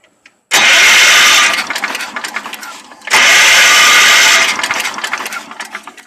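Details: Old Wheel Horse tractor that sat three years, after the ignition points were cleaned to restore spark: two short bursts of steady cranking, about a second each, engine never catches. Cranks but won't start; carburetor and manual fuel pump next suspected.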